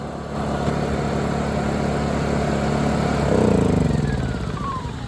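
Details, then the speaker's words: Honda EU2000i generator, long-stored with old gas, after carb cleaning: small engine runs steadily with even beat, pitch rising as it speeds up, no misses; fixed for now but still needs a carb rebuild. "well that's awesome I didn't expect the little bit of crap I did to fix it but it's fixed for now"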